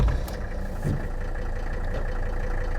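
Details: 37-year-old Mercedes 300D turbo diesel, started after waiting for the glow plugs: a steady, low, deep idle with an even clatter and no knocks or misses. Normal, healthy diesel idle.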